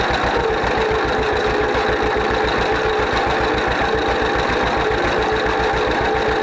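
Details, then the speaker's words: 1931 John Deere GP two-cylinder tractor, first run after carburetor repair. Even, lazy putt-putt at a steady idle, no misses or knocks; runs properly, smokes a little. "oh it sounds good she runs good smokes a little bit but uh i'd smoke it if i was that old"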